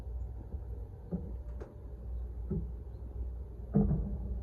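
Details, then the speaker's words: Freezer cooler after a thermostat replacement, heard with a hand on the evaporator box: dull low thumps about every second and a half over a faint drone, the single evaporator fan blade striking ice built up on the coil. "that thumping is coming from the evaporator I've got my hand on the box and I can feel it"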